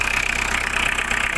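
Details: Diesel car whose owner says the engine timing is over-advanced, with hard starting and stalling even after starter work: harsh, clattery idle with sharp, evenly spaced knocks over a loud rasping top end; rough combustion, cause unclear.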